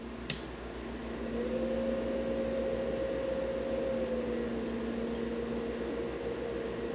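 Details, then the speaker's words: Mini fridge with a cooled-down compressor, run from a 500W pure sine wave inverter on a lead battery (Jeep Wrangler battery) via 8-gauge wire: strained low hum swells and sags but never starts, the fridge trying and trying. Compressor fails to start, cause unconfirmed. "i could feel the fridge trying and trying and trying and trying and just not starting"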